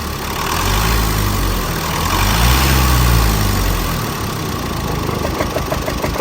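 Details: Chevrolet Colorado Z71, 2.5, 5-speed manual, started and left running a while: a rev blip, then a lumpy, shaking idle with a regular knock from inside the engine.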